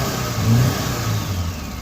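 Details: 2016 FAW XPV petrol engine revved at startup with check engine light on, rough uneven misfiring pulse, runs properly above 2500 rpm; earlier cam sensor fixed, now scanning codes.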